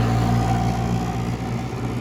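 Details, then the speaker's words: 1967 Chrysler Airtemp Imperial 11k air conditioner, switched to cool: compressor, believed a Tecumseh AK or AJ, kicks in dimming the lights; steady low hum with thin tone settling into normal running. "Sounds like it Tecumseh. It dimmed them lights. Sounds like a Tecumseh AK or AJ, one of the two."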